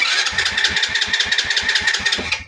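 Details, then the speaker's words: Motorcycle cranked on the starter: steady whirring with compression pulses but the engine never catches; high-tension wire checked next. "Ayan start natin. Puro ridundo lang pero ayaw umandar."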